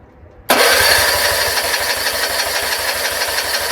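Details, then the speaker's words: John Deere RX75 rear-engine riding mower after replacing ignition switch and reassembly, first start with choke in neutral: catches immediately and settles into steady even idle, no knocks or misses; runs well. "Replace the ignition switch, put the cowling back on, started right up."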